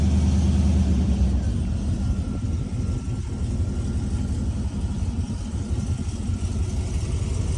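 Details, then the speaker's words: 2004 Silverado V8 at idle with newly installed long-tube headers and an exhaust gasket missing on one side: lumpy idle with a fast ticking rattle from exhaust leaks at the headers. "I know you can hear all the exhaust leaks, especially [Music] right where it's rattling like a [ __ ]"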